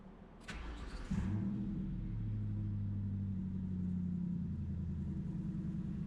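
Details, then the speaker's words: 1994-2004 Ford Mustang, first start after replacing the broken ignition switch actuating rod, manual in neutral with clutch in: starter whirs briefly, engine catches cleanly into a smooth even idle, no misses or knocks; normal start and idle. "That sounds pretty damn good to me."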